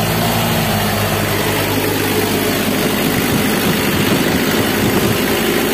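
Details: Mitsubishi L300 diesel after repair for stinging white morning smoke: even, steady diesel clatter at idle with no stumble or hunting; engine sounds healthy, smoke cleared.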